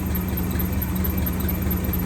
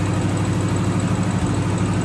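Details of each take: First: 1963 AMC 287 V8 Rambler wagon, heard through a stethoscope probe on the alternator: smooth steady hum, no grinding; water pump and power steering pump also smooth, while the squeak comes from the oil-starved left-bank rocker shaft. Normal alternator sound. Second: 1963 AMC Rambler wagon 287 V8, not started in a while, idling: thin continuous high squeal over slow steady idle, first mistaken for a belt; left-bank rocker shaft oil-starved after its bolts were mixed up during valve stem seal job.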